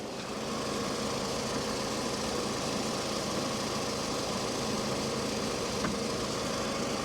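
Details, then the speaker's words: 2007 Toyota RAV4 petrol, 180K miles, salvage title, at auction walk-around: smooth steady idle with even hum, no tapping, knocking or misses; looks and runs good, normal idle. "i think it looks good runs good too"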